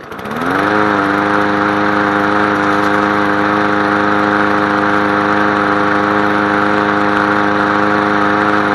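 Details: Craftsman 22-inch push mower model 917.385320, started after topping up low fuel and fitting a new air filter: catches and climbs to a steady high drone held evenly with no surging or rattles; normal running.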